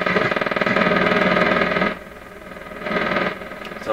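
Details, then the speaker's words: PYE 39HC shortwave receiver on AM broadcast band, antenna misplaced, after capacitor replacement: low putt-putt pulsing about four times a second, swelling and fading; suspected motorboating, cause not confirmed. "that sound could be motor boating in the radio and that that really does sound like motor boating to me"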